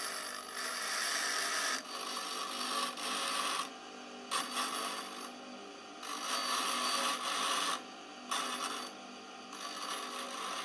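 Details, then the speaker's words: KEF Slibette 8 drill grinder: diamond dresser fed forward with the finger nut and swept side to side across the stone, giving steady gritty rasping in passes of one to two seconds, even across each sweep; clean dressing with full contact. "Now you can see that it's really taking off. And when you have a good contact all the way through the stone,"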